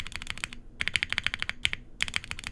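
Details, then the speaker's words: Sunsetter 65% keyboard with POM plate, Gateron Black Ink switches and GMK Dots keycaps: fast crisp key clacks with a louder, hollow rattly spacebar; spacebar stabilizer rattle, left side not lubed enough. "That spacebar is a lot louder than the rest of the keys. It's interesting. Oh, you're right, there is a bit of rattling."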